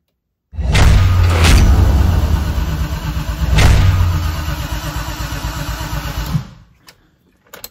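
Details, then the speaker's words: BMW E30 M3 with swapped S54 engine, fluids filled and electronics not yet connected, first turn-over test: even cranking at roughly three compression beats a second for about six seconds, no firing, no grinding, turning over cleanly. "so we're just going to turn it over and make sure that the engine maybe just turns over"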